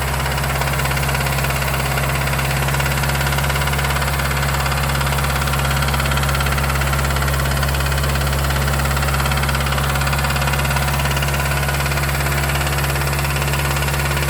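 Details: Mazdaspeed3 (MS3) at idle: deep even knock repeating about three times a second under the engine hum; rod knock suspected, not confirmed.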